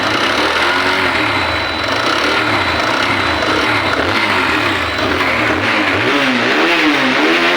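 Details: TVS Apache single-cylinder bike revving up and down: uneven mechanical clatter over the exhaust that sounded like cylinder noise, but the cylinder is fine and the camshaft is the fault.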